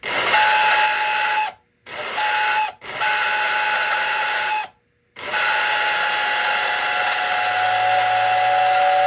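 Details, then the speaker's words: American Flyer #568 steam whistle on transformer with whistle button: hissy thin steady tone in three bursts and a long final blast; works, though owner unsure it sounds as intended. "so I don't know if that's what it's supposed to sound like but it works to some degree and it comes with the whistle button"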